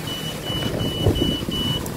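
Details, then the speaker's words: Electric knapsack sprayer with old battery (7.06 V) fitted: five short, high beeps in quick succession over faint hum, indicator off; low-battery warning, too little power to run pump, giving weak spray. New 13.05 V battery fixes it. "Sekarang kita akan mencoba menggunakan baterai lama. Bunyi itu terdengar dan indikator ini tidak menyala."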